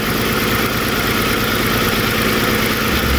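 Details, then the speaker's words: 2008 Lincoln MKX 3.5L AWD, 199,000 miles, check engine light, running rough especially in the morning; uneven, lumpy idle with an irregular stumble about every second and a steady low drone. Cylinder 1 injector current ramp missing: dead cylinder misfire. "So you can see we're missing cylinder 1's current ramp."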